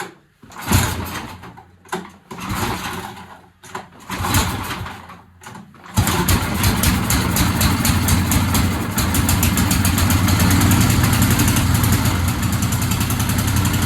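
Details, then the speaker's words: Old free John Deere snowblower, ignition switch kill wire missing, carb had been leaking fuel from intake: several hand pulls, then the small engine catches and settles into a steady even idle, starting and running properly after minor repair. "you have it, guys. That's how you get a free John Deere snowb blower to work."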